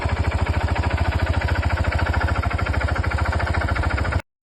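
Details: DRZ 400 single-cylinder, rebuilt by a mechanic who called the noise normal (owner doubts it): strong even knocking about 3.5 beats a second over low thumping idle; cause not pinned down.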